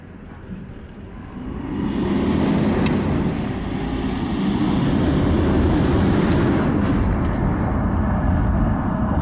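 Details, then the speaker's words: 2007 Toyota Hilux 2KD turbo diesel on a road test after fixing an intake whistle near 2000 rpm: steady engine and road rumble with no whistle; noise gone and the truck responds better. "como podemos apreciar el ruido que estaba filmando se ha ido por completo y la camioneta se siente que responde mucho más"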